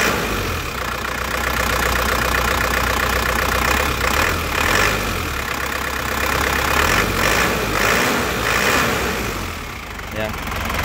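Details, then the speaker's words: 2005 Isuzu Panther Grand Touring Turbo diesel, dry engine with no oil seepage: even idle with crisp, steady clatter about four beats a second, no knocks or odd noises; normal diesel idle. "Lur, suara mesinnya kelihatan renyah ya, khas penter suara aneh-aneh ngeplek atau apa, enggak ada ya."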